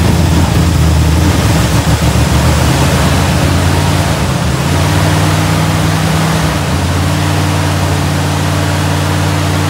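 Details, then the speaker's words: 396 big-block Chevelle started for the first time: even, deep, steady idle rumble stepping up slightly, no ticking or knocking; a hose not yet tightened; sounds healthy. "oh oh hose ain't tightened down sounds pretty good though yeah it does sounds healthy man"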